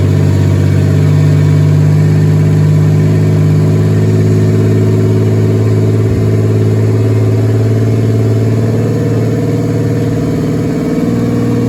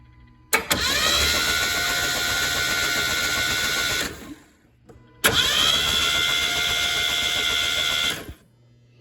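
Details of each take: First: Turbo 3400 engine (Z24), plugs gapped 0.035, very first start after a year of work: steady fast idle, smooth low hum, no knocks; idling high, owner wonders about a vacuum leak. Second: Z24 turbo 3400 engine on its first start attempt after a rebuild, cranked with plugs out, injectors unplugged and fuel pump fuse pulled. Two even, fast starter bursts of about 3.5 seconds each, turning freely without labouring. Compression is about 160 psi; normal cranking.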